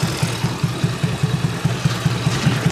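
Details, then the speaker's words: Carbureted Honda Beat scooter, over 8 years old, after fixing the faulty automatic choke: steady even idle with no huffing, no stumbling, and it keeps running even with the hole covered; normal idle restored. "Ini suaranya sudah normal kembali ya. Nah, bisa kita dengar ya perbedaan suara tadi kos-kosan."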